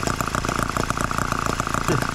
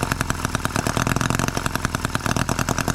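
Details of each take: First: Microcosm H74 engine after piston ring replacement, about two tanks of fuel run and several heat cycles, started by drill: a quick, even firing beat with a steady buzzy exhaust and no misses or knocks; running cleanly. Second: Microcosm H74 engine on the bench, first start by drill after piston ring replacement for low compression, with the radiator not full: fast, sharp firing pulses that sound untuned; it runs but the carburetor needs adjustment (suspected).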